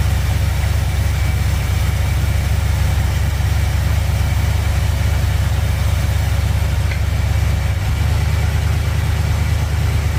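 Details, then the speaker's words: 1959 Chevy El Camino, restarted after repair, warming on choke: smooth low idle stepping down as the high choke idle is dropped, no ticking or knocking. The earlier engine noise is gone. "All right, she's sounding pretty good. Little high idle in the choke. Drop her down. Pretty quiet now. All that engine noise went away."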